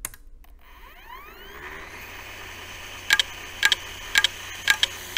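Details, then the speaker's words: Old computer's hard drive spinning up: a rising whine turning into a rough, harsh hum from a worn spindle motor bearing. The drive is dead. "spin it up and yep there's nothing we can do for this drive that thing is dead dead oh well oh yeah just listen to that spindle motor bearing"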